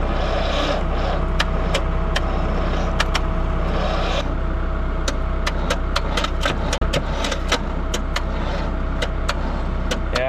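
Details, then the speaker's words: Jeep CJ5 that sat in weeds, jumped with cables from a tractor after a jump pack failed: constant low hum with sharp irregular clicking, about two a second, barely cranking; weak starter suspected. "I mean, it sounds like we got a weak starter to me. That's all we're getting out of the starter. That's horrible. Just clicking."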